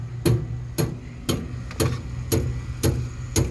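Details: Harman pellet stove with empty hopper: steady sharp clicks about twice a second over a low hum, auger not turning; sprocket already replaced and fasteners tightened and loosened without fixing it.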